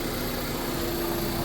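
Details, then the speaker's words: 2005 Honda Civic after misfire/jerking repair, fuel pump pressure checked and broken solenoid wire reconnected: smooth, stable idle with steady low hum, no stumble; normal idle. "कोई God नहीं है। जी। माशा्लाह बेहतरीन of हो गया जी ले जी out fan हो गया माशा्लाह बिलकुल स्टेबल है बिलकुल स्टेबल है"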